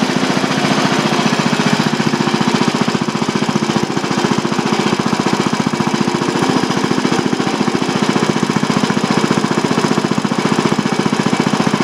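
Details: Old single-cylinder Briggs & Stratton on bench with new Champion J8C spark plug, cold first run: even steady firing about 220 beats a minute, no misses or stumbles; normal running.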